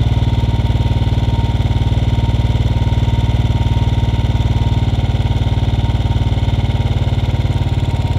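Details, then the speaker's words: Royal Enfield Bullet 500 (UCE) with UCD33 carburettor at a raised idle, mixture screw turned clockwise to its leanest point: steady single-cylinder thump about three beats a second; any leaner and the engine would shut off. "two three so the this is the lightest that this engine can run on now what you have to do is uh if you move any any further the engine will shut down"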